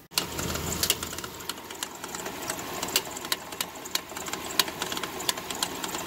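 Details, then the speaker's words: Dodge Dakota engine idling and warming up right after an oil pump and bearing job: a sharp, uneven tick about once a second. A stethoscope could not pinpoint it, but the owner believes it comes from the belt area, and it grows less frequent as the engine warms. "not sure if you can hear that nasty clicking the rattling but I went around with a stethoscope and I can't really find it but I know it's somewhere on on this belt"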